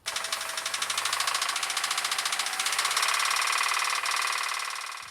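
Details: Jeep Grand Cherokee engine at idle with a sharp, regular knock about three to four per second over the engine note; owner suspects rod bearings, knocking/ticking noise, later tried Hyper Lube oil additive with synthetic high-mileage oil.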